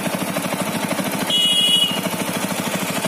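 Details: TVS Apache RTR 200 4V BS6, under a year old, after a long ride at fast steady idle: light, quick tapping from the engine head; service center tightened loose cylinder head nuts, fixing it.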